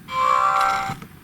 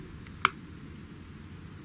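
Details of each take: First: GHD Chronos S8M261 hair straightener switching on or off: brief high beep with a buzzy crackle, design fault where the buzzer sits touching the on/off button, which vibrates; holding the button gently stops the noise. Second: GHD Chronos S8M261 hair straightener: clean single beep with no rattle, because the on/off button is held still so it can't vibrate against the adjacent buzzer, the design fault otherwise causing a crackling noise.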